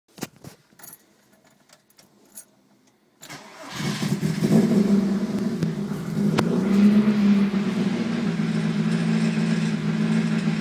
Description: New 16v refuses to idle below ~1500 rpm